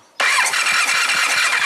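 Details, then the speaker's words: 1999 Triumph Trophy 1200, stalled a year ago after running poorly and rich, new plugs wet with gas, occasional backfire when cranking: even fast starter whir with regular compression pulses, never fires; cranking normal but no spark on cylinders 1 and 4. "Alright, let's try to crank it over and just look for spark on both 1 and 4. Nope."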